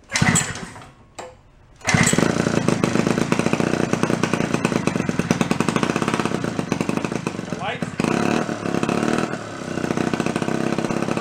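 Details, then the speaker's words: Centaur folding 49cc two-stroke suitcase scooter, revived after sitting 40+ years: a few pull-start yanks, then a steady, crisp buzz at full throttle; normal running. "We'll give her a couple yanks, see what it does. Fired up. Runs full throttle. Shoots across the garage."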